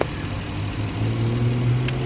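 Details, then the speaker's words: 2017 Jeep 3.6 V6 after rocker arm, oil cooler, spark plug and coil pack replacement: low smooth steady idle, no ticking or knocking; normal. "that's how you get it done take the time effort and patience no smoking no leaking no"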